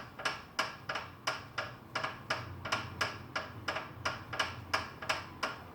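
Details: FitDesk v2.0 exercise bike: sharp, evenly spaced clicks about 87 a minute, one per pedal stroke, over a quiet background. An annoying repetitive click whose source is not identified.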